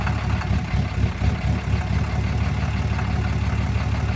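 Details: 2013 Ram 6.7 Cummins diesel, fully deleted, EFI, FCA replaced without help, runs fine at open throttle: uneven lumpy idle with a loose knock about twice a second and slight surging, burps returning to idle; cause unknown.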